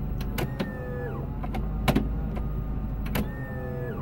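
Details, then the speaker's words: Workhorse J72 electric/hydraulic auto park brake on an RV: the pump kicks on with a steady motor whine rising slightly as pressure builds toward about 15 psi to release the brake, then cuts out. It is working normally. "you can hear that noise you hear from here again you hear the hydraulic pump kick on"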